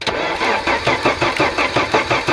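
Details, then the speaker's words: Audi 100 after head gasket replacement (gasket burnt at cylinder 4), first start attempt; quick even cranking, engine never catches; no ignition current coming out, to be traced with a multimeter: crank no start, no spark. "Бол. Бізде тоқ жоқ. Тоқ шықпай жатыр."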